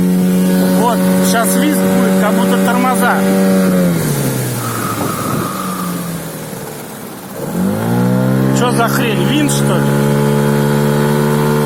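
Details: HANGKAI 9.8 outboard motor fitted with an 8.5x9 propeller, droning steadily then dropping and recovering revs, with a thin high whistle over the engine as it slows; cause of the whistle not confirmed.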